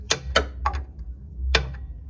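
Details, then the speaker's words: 2007 Matiz engine, starter replaced two weeks earlier, ticking sharply over a low hum; first thought alternator bearing, but lifters tapping as if running without oil. "el ruido proviene de las punterías escucha así como como cuando ya trabaja sin aceite"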